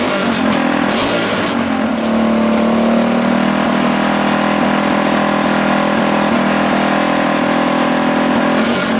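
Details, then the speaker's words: Rebuilt Tillotson 212cc with governor delete, billet rod and flywheel, stock piston, header and PZ22 carb: held at high revs, the buzz barely climbs and runs out of breath; the owner believes the PZ22 carb is too small. "I truly believe that that pz22 carb is just a little too small for what this engine is now currently putting out"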